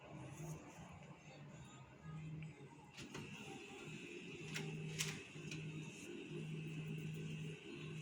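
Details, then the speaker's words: Brother DCP-L3551CDW printer that pulls paper at power-on and jams when printing: stop-start bursts of low motor whirring, followed by a paper jam T1 error on screen. The pickup solenoid is suspected. "อันนี้เปิดเครื่องนะครับเนี่ยครับเปิดเครื่องเครื่องทำการดึงกระดาษออกมาเลยนะครับแบบนี้นะครับแล้วทีนี้พอสั่งปริ้นกระดาษก็จะติดนะครับ"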